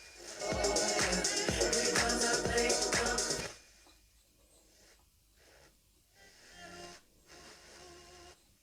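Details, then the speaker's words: Telefunken Opus 8 tube radio during a quick repair, on FM with a mini-whip antenna: clear, steady music with a strong beat and no hiss or crackle; FM works really well. "but fm works really well"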